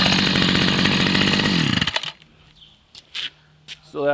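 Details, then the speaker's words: Homelite 30cc two-stroke string trimmer that wouldn't start, running after a carb kit, carburetor cleaning and a new fuel line. Steady, crisp high-speed buzz that winds down cleanly: normal running after the carb repair. "I got a carb kit put in it and I cleaned the carburetor and changed out the gas line and uh runs pretty good"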